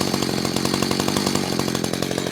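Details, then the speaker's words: Echo CS-590 chainsaw at full throttle after leaning the high-speed screw, about 8 (thousand rpm) on tachometer: thin, sharp over-revving scream with rapid even firing; high-speed mixture too lean. "That's about an 8. See right there? That's too lean."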